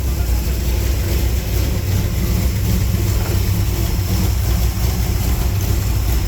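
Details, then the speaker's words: 355 small-block Chevy V8 in a 3rd-gen Firebird (700R4) at idle after fixing an exhaust leak at the header-to-Y-pipe joint; a poorly welded O2 sensor bung still leaks some. Deep steady rumble, even beat, no puffing; sounds much better. "but it was leaking right at the base of the header where it hooks into the Y pipe but it sounds a whole lot better"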